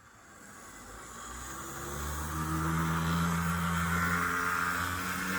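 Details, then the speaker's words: Athearn HO blue-box Union Pacific DD-40 locomotive on slide test, no lubrication on the drive: whine climbs with speed over a rough, uneven gear drone; motor and gearing sound wrong and strained, cause unconfirmed. "doesn't sound right and there's no lube on there nothing"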